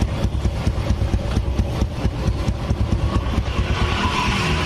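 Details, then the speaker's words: Vega R motorcycle engine after cylinder (boring) and head rebuild, started cold: small single putters at a brisk, slightly uneven idle, no top-end tapping or knocking, smooth; normal idle, leftover oil may smoke from exhaust when hot. "Mantap, mesinnya lembut. Ya, Suaranya lembut."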